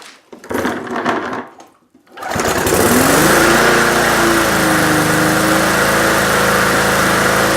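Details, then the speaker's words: Briggs & Stratton PulsaPrime mower engine after a carb diaphragm replacement for lean surging: it fires up and holds a steady, fast, high-pitched run with no hunting; the governor spring was adjusted too far, so the engine speed is set too high. "well as you can hear it didn't search so definitely running higher than it should be but that's because my adjustment that I made to compensate for the surging on that spring I'm gonna have to knock it down a little bit"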